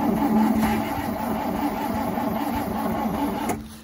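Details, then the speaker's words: 1971 International 1310 V8 grain truck, with gas poured into the bowl and a bad accelerator; steady cranking at about four turns a second for 3.5 seconds that never catches. Cranks but fails to start. "i got one crank it over come on baby she's a turning i like your gas though maybe she'll go now"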